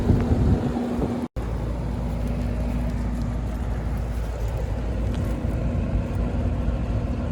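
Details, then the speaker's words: Amana heat pump outdoor unit on a no-cooling call, running fan-only while the compressor fails to start. The board flashes six blinks for an open start circuit, traced to a bad common connection at the capacitor. Steady low fan hum with no compressor drone. "you know anytime the fan is running inside and then we're gonna suspect something going on with this outside unit i think i can hear it now it's like fan only"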